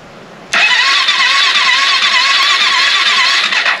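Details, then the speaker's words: AJP PR7 motorcycle, first start after engine rebuild, fuel pump primed: starter whirs about three seconds with wavering, dragging pitch, engine never catches; battery too weak, slow cranking. "die Batterie ist zu schwach mehr Power ich weiß nicht ob es ausreicht aber"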